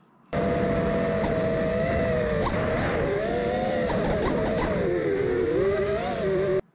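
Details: FPV quad: the motor whine keeps dipping and jerking instead of holding smooth. The same twitching appeared on two drones, first suspected to be motors, ESCs or gyro, but was caused by the R9M radio control link.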